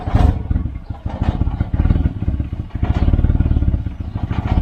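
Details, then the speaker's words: Volvo 940 Turbo, recently purchased, rough cold idle (description blames bad fuel pressure regulator): uneven puffing chuff at each firing pulse from an exhaust blow, described as loose exhaust near the manifold; exhaust leak. "um yeah we've got an exhaust blow which is drying everything out"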